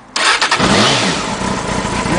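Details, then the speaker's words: 2000 Honda Hornet (H65), 15 years old, on standard silencers: short starter whirr, catches at once on the button and rises to an even, fast choke idle with no misses before the choke is feathered off; healthy start. "Yep, starts as it should on the button. Turn the choke down, feather it off."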